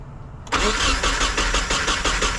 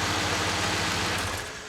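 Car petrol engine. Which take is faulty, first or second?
first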